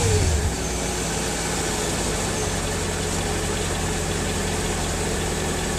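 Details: 2003 Mercedes S55 AMG, about 186,700 miles, after ABC/power steering hydraulic pulsation damper replacement, car much quieter with less hydraulic whine; smooth steady idle, no pump whine standing out, no leaks or ABC warnings: normal hydraulic pump noise.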